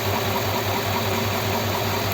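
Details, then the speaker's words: Rebuilt Ford 239 flathead V8, fully warm, air filter off: steady even low rumble at idle with carburettor hiss on top, no knocks or misses; normal warm idle. "that's fully warm there you know with the air filter on you wouldn't hear that carb nice"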